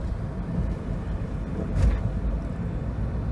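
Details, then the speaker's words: 2003 Pontiac Vibe driving after a tune-up, which fixed earlier misfires and sputtering: a steady low engine rumble with road noise, pulling evenly with no stumble; running smoothly. "it drives perfect now I just did a slight little tune-up and I mean it's it's he's rolling great there's power I can actually accelerate now without the car sputtering and taking a crap"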